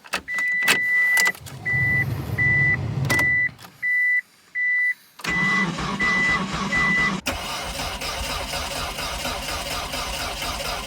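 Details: Mitsubishi Eclipse project car, first cold start at 5°F after six years since engine failure: chime beeps, about two seconds of cranking, then it catches and settles into an even, steady idle; healthy cold start.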